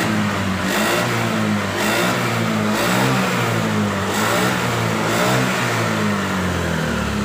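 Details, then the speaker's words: Honda Vario 110 FI scooter with intermittent stuttering (brebet) on the road, revved in repeated smooth blips in the workshop with no stutter or misfire. Fault code 52 later pointed to the CKP sensor, which stalls the engine when its wiring is wiggled. "tapi setelah di sini saya cek tidak berebet normal normal Ya"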